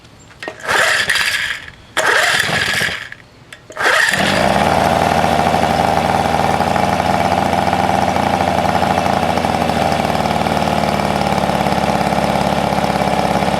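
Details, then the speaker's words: 1971 Johnson 4hp two-stroke outboard that never ran right, new spark plugs: a few pull attempts, then catches and holds fast, busy steady buzz; running fine for now. "yeah put it on the boat started up if you can I don't know sounds pretty good though"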